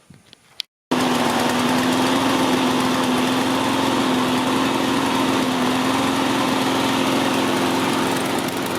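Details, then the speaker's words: Troy-Bilt TB360 21-inch self-propelled mower, Briggs & Stratton 190cc, after carburetor jets cleaned and throttle linkage freed: catches and settles into steady, even buzz, slight hunting; running well, plug may need changing. "Running good, guys. I don't know if you can hear me, but see there, it's running like a charm."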